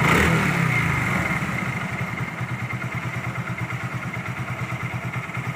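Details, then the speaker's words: Hero Glamour single-cylinder motorcycle after fixing the bearing that caused an engine noise: steady, even putt at light throttle with no knock or rattle; noise gone, normal running. "देखिए दोस्तों अभी sound नहीं ए रहा है पहले अभी सुनिए आप लोग साउंड ए रहा है की नहीं जो पहले इंजन से एक साउंड ए रहा था वो साउंड ए गई पुरी तरह से ऑफ हो चुका है दोस्तों बेरिंग का ही प्रॉब्लम था"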